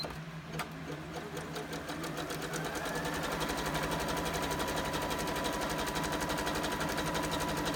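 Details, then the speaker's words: Sewing machine test-stitching a zigzag after cleaning and rethreading during tension adjustment: even, steady needle clatter about three strokes per second, no knocks or binding, running smoothly mechanically. "machine sounds really good mechanically sounds like everything's going smoothly"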